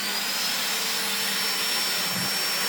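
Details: 1990s Panasonic MC-E53 upright vacuum cleaner, after cleaning, with its speed control working; steady even high-pitched motor roar with a faint constant whistle, no surging or rattles; normal running.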